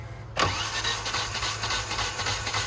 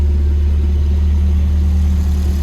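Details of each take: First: Volvo cranked while trying to run it on starting fluid, getting only one little spark: the starter spins about six seconds at an even, uninterrupted beat, then stops without catching. Crank-no-start. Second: Volvo cold start after swapping orange-label 503 LH 2.0 ECU for green-label 510 LH 2.1: steady, even low idle with no lope or hunting, unlike the old cold-start lope; runs smoothly, though wrong mass airflow sensor gives some ping.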